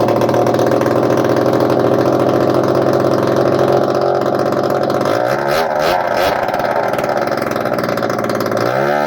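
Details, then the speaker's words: Scooter with swapped-in Honda AF18E engine, first run after fixing loose part, choke on, exhaust port packed and no exhaust fitted: steady fast idle, blips up and settles cleanly, smoky; starts and runs fine. "Well, call that a smoky success."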